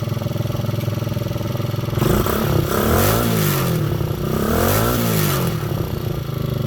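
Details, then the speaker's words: Honda XL125 Scrambler that had not run for months, kick-started with the air cleaner removed: the single-cylinder thump idles evenly and revs up cleanly twice, settling back without stumbling. Normal running. "you listen to that sounds like a running bike hey"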